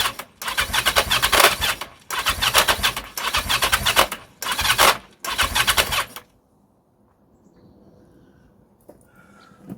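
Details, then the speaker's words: 1982 Yamaha XJ750, plugs wet, compression suspected low: four bursts of quick, even cranking with no firing; the engine turns over but never catches. "it does it sounds like it's trying that's the frustrating bit"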